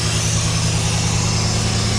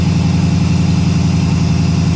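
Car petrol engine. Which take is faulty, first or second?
second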